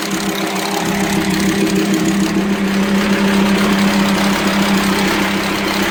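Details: VW Transporter T5 2.5 AXD/AXE diesel at idle: hard, uneven knocking and ticking about three per second from the head, from a worn, broken camshaft starved of oil by leaking plugs; low power, metal dust in oil. Fixed by welding plugs and replacing camshaft, tappets and bearings.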